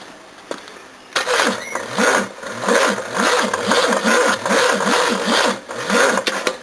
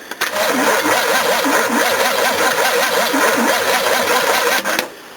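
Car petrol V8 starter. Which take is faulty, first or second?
first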